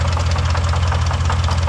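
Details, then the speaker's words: 2005 Lincoln Aviator, no codes, battery long dead: rough idle with a rapid, even ticking knock keeping pace with engine speed, felt by screwdriver at the passenger-side top end; top-end knock suspected, not confirmed. "You can put a screwdriver on it and kind of just feel where the noise is coming from, and it feels like it's up here. So we're not going to run it too long. Just wanted you to be able to hear it. Sounds pretty rough."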